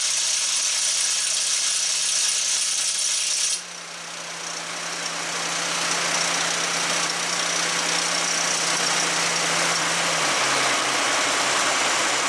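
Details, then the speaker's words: 2017 Ford Expedition with over 100,000 miles, low power, low boost (P0299): at idle a thin whistle and hamster-wheel rattle from the failing passenger-side turbocharger, whose oil feed screen was found blocked with sludge. Failed turbocharger noise. "Ford Expedition with low power and it's making a rattling I guess customer explain it is like uh squirrel cage kind of noise or a hamster wheel or whatever you want to call it"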